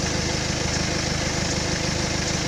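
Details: 2012 BMW 320d E91, N47D20C diesel, 185,000 km: steady diesel clatter with a fast, even low pulsing as revs fall from 2000 rpm toward idle; an abnormal noise whose cause is unclear.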